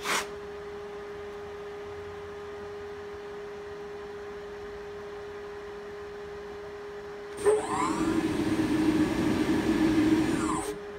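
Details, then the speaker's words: HPEVS AC-35 induction motor on a DIY Hübner inverter, bench test at 24 volts with no load, after an unexplained encoder warning: a drive hum, then a surging whine rising and falling for about three seconds before cutting out; it starts differently and won't run properly. "that give me an encoder warning which I've never seen before so I'm not sure what that is I haven't changed anything yet it does start a little bit differently you hear it"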